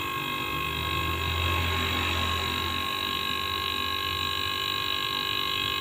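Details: Used AC compressor repurposed as an air compressor and vacuum pump, still on its old, weakened but usable capacitor. A steady, even motor hum with a constant high whine and no knocks or rattles while building pressure fast to the gauge stop; healthy.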